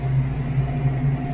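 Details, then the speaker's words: Foxbody with a Calypso clone engine idling at about 900–950 rpm after the distributor was tightened: deep steady burble, the earlier engine noise gone, with no ticking or tapping. "It's just, it's got a good burble. Just doesn't hit that hard, but that's okay, guys. The car runs great, so that's all that really matters."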